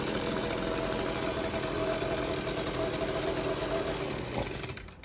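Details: Free, previously non-running Stihl two-stroke leaf blower, tested outside after reassembly: small buzzing with an uneven, wavering beat that never settles; still runs rough, and the mixture needs further adjustment.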